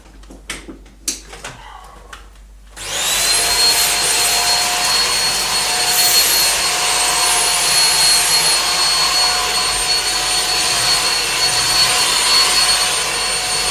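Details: Dyson DC15 vacuum motor test run after replacing carbon brushes: a few handling knocks, then it spins up to a smooth steady high whine, no crackle or surging; runs healthy.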